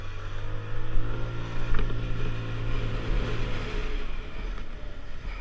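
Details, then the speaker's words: Finished Lexmoto Diablo 125 on a road test, recorded on a helmet GoPro, idle setting not yet checked: steady low engine drone easing off smoothly, no knocks or rattles; ran beautifully, normal running. "okay guys so you should see that that ran beautifully um on the uh helmet cam on the GoPro"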